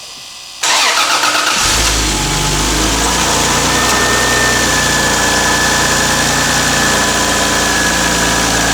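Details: Toyota Aristo V300 2JZ-GTE after spark plug replacement to fix a misfire: cranks briefly, fires cleanly and settles into a smooth, steady idle with no stumble; runs properly.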